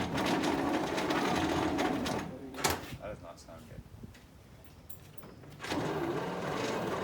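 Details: 1951 Dodge Power Wagon first start attempt after new plugs, points, coil, wiring, manifold seals and rebuilt carburetor, using starter fluid: two spells of rhythmic starter churning about four beats a second, no firing; won't start, and the starter later died.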